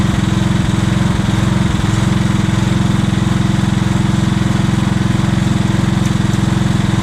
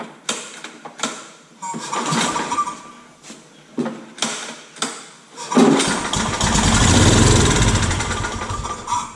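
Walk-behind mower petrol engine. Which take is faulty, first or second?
second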